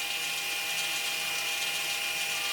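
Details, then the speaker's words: Electronic parking brake actuator commanded open with a scan tool's rear brake service procedure before caliper removal: thin, steady high electric motor whir, even throughout, the actuator backing off cleanly for normal release. "and as you can hear they're actually releasing the actuator so that way you can go ahead and safely remove this without damaging anything"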